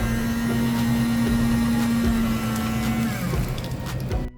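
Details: Bunn cappuccino machine after reseating the mixing chamber, whose broken mount hooks had caused grinding: smooth, steady whipper motor whir at an even pitch with no scraping or grinding; normal running.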